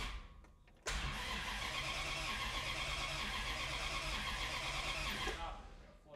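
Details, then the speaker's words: '64 Dodge 440 with a 383 big block and 727 push-button transmission, run hotwired: steady cranking whirr for several seconds with no catch, only a kick at the end; owner suspects the coil loses power during cranking. "you hear that like kicks at the end I gotta check the I don't know that the wire is giving it power during cranking the coil yeah maybe it's starting when I'm letting off and it's already rolling"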